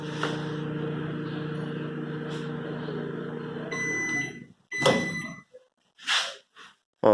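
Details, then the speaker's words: Panasonic microwave after repair of fault where plugging in started the magnetron without command; heating water, steady even hum then end-of-cycle beeps, no odd noise, heating normally: normal operation. "esquentou normal tá então está finalizado"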